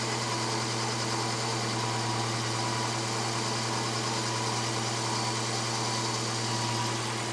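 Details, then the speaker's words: Volvo 240, engine warm before its MOT: steady, even idle but too fast at about 1400 rpm versus roughly 800 to 900 specified. "regarde c'est en fait comme 1400 c'est trop élevé pour le ralenti ouais ça devrait être environ 800"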